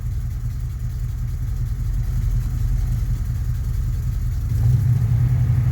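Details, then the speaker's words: 1991 Chevy Silverado that struggles to start cold and gets no fuel until the accelerator is pressed; started with a little gas, it idles very rough with irregular pulses and a faint stumble, firming up near the end, then throws a code. Cause unknown. "Yeah, there's still something horribly wrong. I'm starting it by giving it a little gas. It's so rough."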